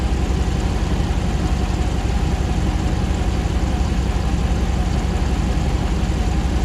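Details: 2009 Ram 1500 Hemi V8 4x4 auction truck, first start after months of rebuilding with earlier fault codes cleared: smooth, even low rumble with a steady beat and no knocks, ticks or misses; the condenser fan kicks on and it settles into a clean, healthy idle.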